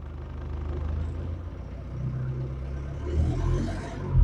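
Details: 1968 Mercedes-Benz with swapped OM616 diesel, after glow plugs, running on a newly built exhaust with a Saab muffler and no longer hitting the floor: low, steady diesel thrum with an even beat and no puffing, ticking or rattle; clean normal idle.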